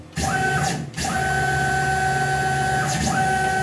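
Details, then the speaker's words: Tormach PCNC 1100 Series 2 mill after replacing the failed stepper motor driver: X-axis jog gives a clean steady whine with smooth start and stop ramps, no stutter or grinding; stepper axis running normally. "let me jog the machine here here's X which should be just fine everything looks good"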